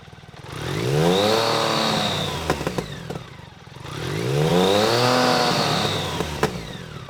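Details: BMW K75 RT after new fuel injectors, cleaned air filter and oily spark plugs replaced, still a bit cold: two clean throttle blips climbing and falling quickly, no stumble or hesitation; normal responsive revving.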